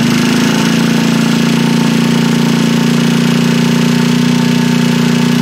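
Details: Freshly assembled Trailmaster 150 stroker single-cylinder engine with cleaned head and valve job, first start: quick, steady thumping idle with constant beat, no knocks or stumbles; healthy.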